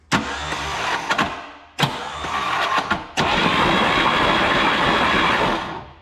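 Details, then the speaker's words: 1934 Ford chassis with 1960s Buick Nailhead V8, unrun for about 40 years, cranked with a jumper wire to the coil: starter spins steadily, about 220 compressions a minute, but it never fires. Cranks with no spark, no start. "no spark let's use our uh screwed by morsky repair screwdriver"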